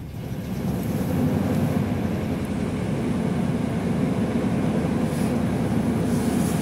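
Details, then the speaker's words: 1998 Ford F-150 SuperCab, 4.6 V8 with new catalytic converters and exhaust manifolds, idling cold with a lumpy beat and occasional stumble. The owner blames the misfire on old plugs and wires, still unreplaced. "You hear that miss? That's the plugs and wires there. A little hesitation."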